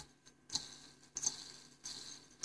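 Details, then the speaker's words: Seized computer/video card fan after oiling its bearing, flicked by hand: short raspy whirring bursts fading quickly; rough, dry bearings expected to wear in and quieten after more spins. "but I'm hoping that that noise will go away it makes a lot of noise when this thing powers on"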